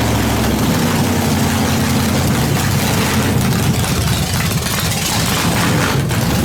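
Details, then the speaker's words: Nitrous small-block Chevy in the Brooklyn Dodger build, first start after fuel pump switched on; fuel pressure possibly too high. Deep, steady V8 idle with an even loping beat, no knocks or misses. Normal idle. "there it is it starts it runs it idles"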